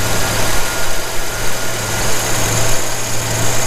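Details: 1981 Jeep CJ7 with rebuilt Weber 32/36 carburetor, idle mixture screw being turned in quarter turns while the gauge reads about 18–20: steady low idle, even smooth pulse, no misses or knocks; normal idle.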